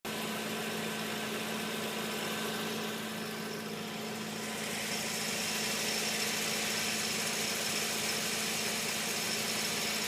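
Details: Nissan G35 idling with a gritty, high-pitched chirping grind from the engine bay, repeating about four times a second, along with buzzing and rattling.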